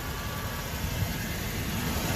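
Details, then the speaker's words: Old hot rod V8 shop truck with intermittent fuel-fouling of the #8 spark plug causing seven-cylinder misfire, owner suspects a sticking injector; with a clean plug fitted, steady even idle with no misses, running fine. "so once again you can hear it runs runs just fine idle's just fine"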